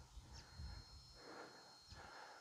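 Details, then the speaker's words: Caravan satellite dish setup with a cheap satellite finder wired between the receiver and the LNB, gain dial turned up: a thin, steady high squeal over faint outdoor rustling, the finder's signal tone used to aim the dish. "turn the little dial up until you get some noise and some movement on that scale how much movement is irrelevant if you just zoom in there a little bit you'll be able to hear the squealing"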